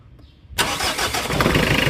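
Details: Mitsubishi Adventure 4D56 diesel after starter repair for a no-crank no-start: quiet, then short crank and engine catches cleanly into a steady idle; starter now turns over fine.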